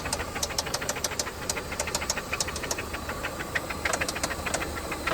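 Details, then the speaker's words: 1995 Toyota Camry LE, 5S-FE engine, automatic: a rough idle that sounds okay briefly, then a sharp, regular heavy knock comes in at about three per second; cause to be found at teardown. "It's wild how it'll sound okay for a second and then it just starts knocking. My goodness, that sounds just terrible."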